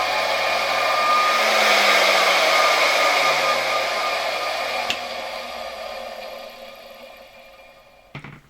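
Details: 1964 Gamma II vacuum cleaner KASB-70/30 motor, bench test after cracked Bakelite suction housing replaced, cleaned and bearings lubricated: steady whine falling as it spins down and coasts to a stop, no scraping or rattle; runs cleanly.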